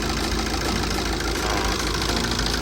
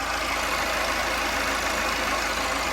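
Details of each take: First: TATA 2.2 diesel after engine rebuild (cylinder 2 bore and piston, head skimmed, valves ground, injector repair cyls 2-3, injectors registered to ECU): starts easily, idles with steady even clatter — normal idle after repair. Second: Tata 2.2 diesel after engine rebuild (cylinder 2 rebore and piston, head skimmed, valves ground, new water pump), idling smoothly and starting easily; a steady rough whirring hiss over the idle comes from a failed alternator bearing, to be replaced.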